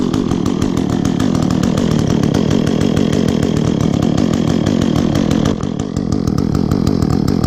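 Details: Echo chainsaw, chain worn from maple cutting, last run two or three weeks ago, started on choke after priming with chain brake on: crisp, even two-stroke buzz holding steady through revs, no misfire; bar oil spews when revved, normal running.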